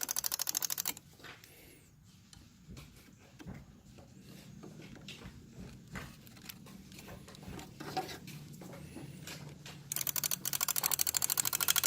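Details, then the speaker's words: 1998 Lexus ES300 fuse/relay box: fast, regular relay clicking, about three per second, with pauses. Swapping the relay didn't stop it; ground and wiring checked fine, no chewed wires. Cause unconfirmed. "So you can hear it clicking from here and here. So first I thought it was the relay was bad, so I took it out."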